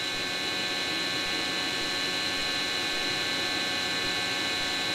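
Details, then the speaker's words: Webasto Dual Top diesel heater run without its ECU, after fuel-pump shutoff and flame-out with smoke; steady airy fan rush with a thin whine and no combustion, a normal blower purge as it cools down. "And then we just leave that there to cool down. Let me just turn it down a bit more quieter."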